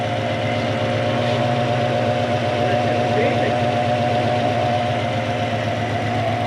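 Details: Mk1 Ford Cortina with 1UZ-FE 4.0 litre V8 swap, W58 gearbox, running properly for the first time: smooth, even idle with steady low rumble, no knocks, misses or surges.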